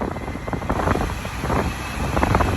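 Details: 2009 Smart Car after blower motor replacement (previously loud noises and no heat or A/C, code P0410); steady airy rush with low hum, no rattle or squeal: normal blower fan operation.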